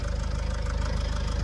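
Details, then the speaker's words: Vauxhall Vivaro/Opel 2.0 turbo diesel van losing power when towing, turbo failure suspected: at idle a rapid diesel clatter with a steady metallic rattle, source unknown to the owner. "somebody tell me what that is cuz that ain't right why is it rattling like that"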